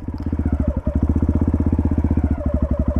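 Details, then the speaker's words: Dirt bike in first gear, mic in the rider's helmet, as the clutch engages and the bike starts to roll forward. Steady low thump about four beats a second, slightly uneven as the engine loads; the clutch is catching, cue to add a little throttle. "hear that sound so when you hear that sound you're going to want to give it just a little bit of throttle you don't have to slam it and you don't want to get not enough"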